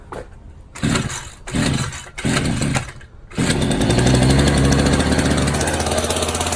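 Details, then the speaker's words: Found Champion two-stroke string trimmer with its choke missing, started by priming fuel directly; several short sputtering catches, then it fires, revs up right away and holds a rough buzz before dying. Fuel starvation from the missing choke. "But listen, it revs up right away. And there goes the die."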